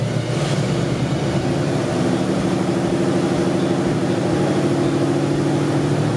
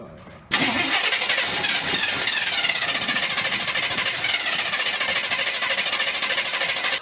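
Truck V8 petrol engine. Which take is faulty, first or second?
second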